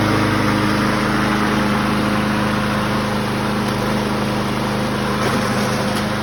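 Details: 2004 Craftsman 917.374430 mower, B&S 6.75 HP (125K02-0371-E1) primer engine, after repairs: small single runs at a steady, even speed with no misses or surging; normal steady run, sounds healthy.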